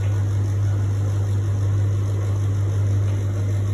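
A steady, unbroken low hum with a slight rough buzz, no change in pitch throughout; an odd running noise from the appliance, cause unclear.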